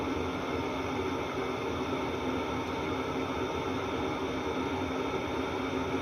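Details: 8 kW diesel air heater installed in a 1986 Fleetwood Prowler 23P trailer, running without its exhaust muffler: even, steady rushing roar with no surging or popping; runs smoothly, just loud.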